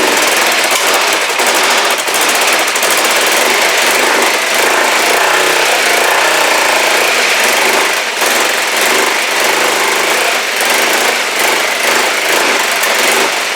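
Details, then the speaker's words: Kawasaki GPZ500S twin on brand-new fuel: revs with ragged uneven beat, repeated dips and stumbles, vapor coming from back of carbs; rough running, cause unknown, timing suggested as possible. "okay it's not happy but it started um I don't know why and again someone suggested that this could be timing"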